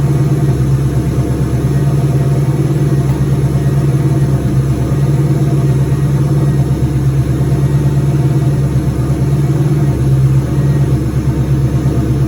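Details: Turbo 2003 Mustang Cobra V8 first start, return-style fuel system, intercooler cold-side pipe not yet connected; even, steady idle with firm low rumble and no knocks, misses or whine.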